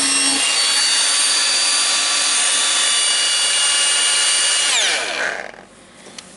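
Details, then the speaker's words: Makita DGA504 cordless angle grinder after armature ball bearing replacement (bad bearing caused bang noise): steady high whine about five seconds then smooth spin-down; slight additional sound but runs fine. "not bad you have some additional sound"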